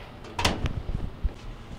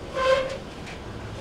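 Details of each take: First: GE DVLR223FT1WW dryer after rear drum bearing (WE3X75) replacement for squealing: steady low drum rumble with soft tumbling thumps, no squeal or chirp; running normally. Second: GE dryer DVLR223FT1WW: high shrill squeal coming and going with drum rotation while running, from a worn rear drum bearing (part WE3X75).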